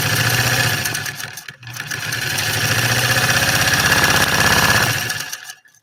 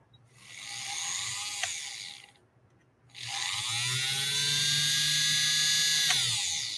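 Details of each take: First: 3/4-size Singer 128 vintage sewing machine after motor reinstalled: fast steady mechanical chatter about three beats a second carries on for seconds after pedal released, then winds down; runs on, cause not confirmed. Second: Vintage three-quarter-size Singer 128 sewing machine motor run briefly after rewiring: high whirring spin-up, cut-off, then a steady even pitch. The motor operates properly.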